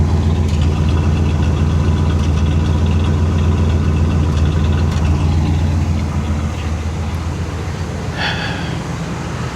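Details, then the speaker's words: 1979 Cadillac DeVille V8 after a carburetor swap; previously would not idle and died every time, now deep, smooth, even idle with no misses, ticks or hunting, lights on; running great, normal idle. "She's running great as expected. I I I wouldn't expect anything less from this car. She sounds good."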